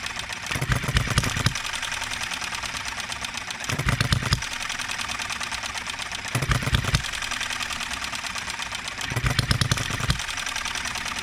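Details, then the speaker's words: Enjomor 6cc hit-and-miss engine on a cart during tuning, with ignition firing just after top dead center and the fuel tank lowered: bursts of firing about every three seconds with uneven coasting between; the engine stutters and is not yet tuned right. "quite there yet guys that wants to stutter sometimes don't it"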